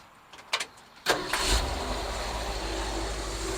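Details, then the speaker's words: 1964 Ford F100, new Pertronix cast distributor, timing set by light to about 19 degrees with eyeballed TDC: quick crank catches at once with no kickback, steady even idle, takes throttle well. Normal start and idle. "still starts easy it's not kicking back takes throttle real nice 19 degrees"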